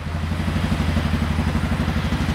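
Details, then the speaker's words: 2007 Suzuki KingQuad 700/750 ATV that died and wouldn't restart, after replacing old spark plug: steady, even thump at idle with quick regular beat and no skips; single idling cleanly, fault was the plug. "all right well we're going to let it we're going to let it idle for a minute that's old shitty spark"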